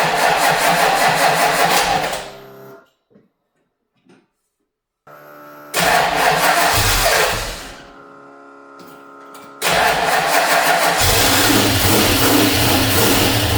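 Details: 1989 Ford Mustang with a 351 Windsor V8, first start after time on an engine stand: loud V8 fires and runs at a fast, slightly uneven beat, cutting out between runs; rough running, owner suspects oil burning off after oil leaked from the intake manifold top.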